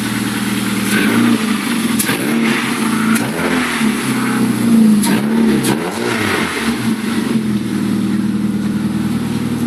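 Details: Rover 1.4 K-Series 16v engine in restored Mini Clubman Estate, first run after build, cooling hoses not yet fitted: revs pick up crisply through repeated blips and settle evenly, no knocks or misfires; normal revving.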